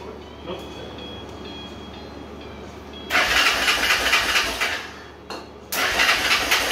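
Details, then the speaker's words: Honda 300EX single, not run in two owners after losing spark, now running off its own tank: ragged running with loose top-end clatter, stalls and restarts; worn rocker, scored cam and broken timing chain guide. "Well, this thing kind of runs like hell. I got it running off its own tank, but a lot of noises coming from that area right"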